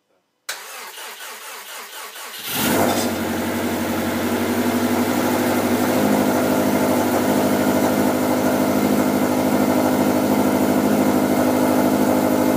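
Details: 2013 Subaru STI rebuilt engine, first start after fuel system priming, cold: starter cranks about two seconds, catches and settles into a steady, even, really loud idle with no knocks or misfires.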